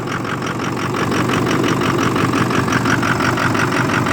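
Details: 2006 Ford F250 Super Duty 6.0 Power Stroke diesel with hard starting and loss of power, started after block heater plugged in ~5.5 hours; phone on steering wheel; lumpy uneven idle about three beats a second; fuel pressure just over 50 psi; rough idle.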